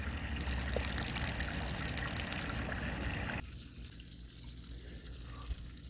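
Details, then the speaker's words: Newly replaced 12 V water pump in a 1990 camper, running up to full pressure: a fast, fairly even pulsing hum with water rushing that settles quieter as the lines pressurize. Much better flow but not much quieter than before; an expansion tank is being considered. Normal operation. "It's not really much quieter, but maybe I can get an expansion tank for this. It's got much better water flow than it did before."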